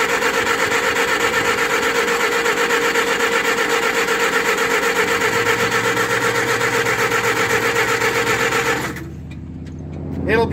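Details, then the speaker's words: 1958 Oliver 550 gasoline tractor, choke off: steady cranking about four pulses a second that never catches; flooded with gas dripping from plug holes, stuck carburetor float suspected. "so you can see here we got a bunch of gas I think maybe we've got a stuck [Music] float possibly we haven't got the choke pulled the choke is off"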